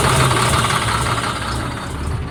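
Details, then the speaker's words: Caterpillar C7 ACERT diesel with power loss and strange noise, idling unevenly with a lumpy knocking beat; cylinder cutout test points to a failed number-five injector. "El quinto escuchemos como la falla se ha quitado mal funcionamiento del quinto vamos a ponerlo otra vez trae un tipo de falla con el vector número 5"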